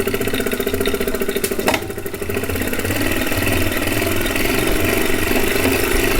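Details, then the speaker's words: Refurbished replacement 2018 Wahoo Kickr trainer, microphone by the flywheel: loud steady whirring hum with a ringing tone as it spins; far noisier than it should be, no bike shake so probably not unbalanced, cause unclear. "that's actually not how it's supposed to sound it isn't supposed to make much noise this one doesn't make the bike resonate though"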